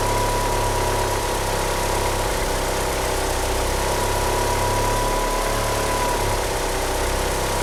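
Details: Car fitted with 850cc injectors idling unevenly: a wavering low pulse with occasional stumbles. It won't rev up, with a slipping power-steering pump belt. Rough idle, cause unconfirmed.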